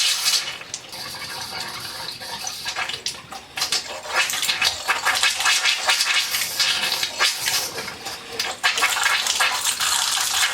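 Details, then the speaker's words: Hot water heater refilled after flushing: irregular spitting and hissing bursts, water surging and breaking up about every second at the hot faucet as trapped air purges; about 10 minutes to clear. "It took me 10 minutes to clear out the air. Still air is coming out."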